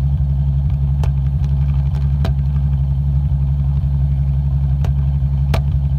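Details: BMW E66 N73 V12, about 110K miles, warmed up, paper test at exhaust: steady low idle broken by irregular sharp puffs, paper randomly sucked in as if an exhaust valve stuck open; cylinder 8 intermittent misfire at idle.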